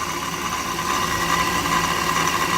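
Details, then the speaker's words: 2008 Jeep Wrangler just fitted with a RIPP supercharger, first start after clearing a TPS code: steady loud whooshing hiss with a whistle-like upper-mid tone over an even idle; normal supercharger intake noise at idle. "Everything's good now. It's idling fine. Noisy little sucker."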